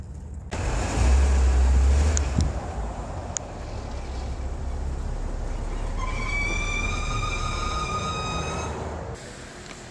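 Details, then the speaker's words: BMW F10 535i N55 on road test: steady high squeal for about three seconds as auto start-stop shuts the engine off at a light. Crankcase air escapes past a leaking rear main seal because the PCV valve in the valve cover failed; fix is a new valve cover and seal. "So if I came to a stop at the light at a traffic light, [snorts] uh the vehicle would squeal and then the engine would shut off. So you can see that when start stop activates, this is when the noise occurs."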